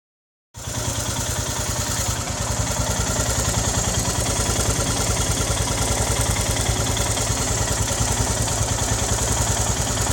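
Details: Royal Enfield Himalayan BS3 single, hot after a ride, idling at about 200 thumps a minute with a thin whistling chi-chi chirp that is heard only at idle, loudest on the right side; the cylinder head was defective and was replaced under warranty.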